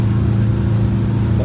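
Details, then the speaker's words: Detroit Diesel 8V92TA turbo in a Wanderlodge bus, driving under load at about 15 psi boost after a boost fix: deep, even drone pulling steadily with no flutter or surging; healthy full boost. "oh yeah i make more torque than you wide open at idle yeah [Music] [Music] 15 pounds of boost right now"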